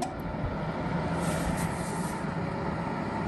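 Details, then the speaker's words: Dehumidifier, newly replaced unit, left standing overnight before power-up: steady low electrical buzz with no motor spin-up, same as the previous unit; compressor locked up, failing to start. "um it doesn't work hear that buzzing it's the same thing the other one was doing"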